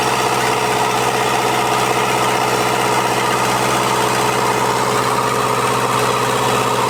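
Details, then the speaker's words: Toyota 40 Series LandCruiser B diesel engine, first start after rebuild: steady, even diesel clatter at idle with no knocks or misses; sounds smooth and healthy. "so she's um she sounds pretty sweet doesn't it sounds real sweet"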